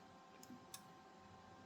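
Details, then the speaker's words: Rigol DM858 multimeter, hardware 1.02, on DC volts autorange measuring 8.7 V, whose earlier hardware versions had DCV autorange faults: two crisp relay clicks about a third of a second apart, with no drop on the oscilloscope. Normal autorange relay clicking. "And if I do this, you hear the relay clicking, but if you watch on the oscilloscope, there is no drop seen. So, that means that meter looks like it's working properly."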